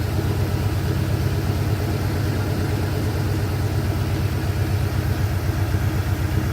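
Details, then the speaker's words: 1989 Avanti convertible engine at idle: steady fast, busy rumble well above normal idle, feels a little shaky, not stuttering yet but owner expects the same problem to return; high idle, cause unconfirmed. "Well, so far this thing, it ain't stuttering yet, but we don't know yet. It feels a little shaky. It does idle awful high."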